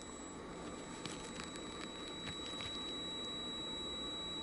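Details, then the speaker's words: ThorFire VG10 flashlight, XM-L2 LED, PWM driver, head held next to the microphone: thin, steady high-pitched whine that swells when a black object blocks the LED and drops when uncovered. "think you could hear that, right? It increases. When you stop blocking it, that whining level goes down."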